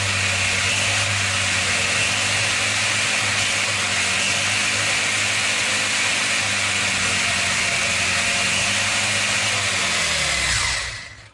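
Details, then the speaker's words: Rlaarlo RC car with Surpass KK 60A ESC, Spektrum SR215 receiver and SX5C transmitter, stepped from 100% to 110% throttle for higher RPM; steady high-pitched whine, then smooth wind-down to a stop; normal high-speed run. "I will get it up to 100% forward throttle, and you hear the RPM sound, and then when we get to 110, you will hear that it's getting even higher RPM."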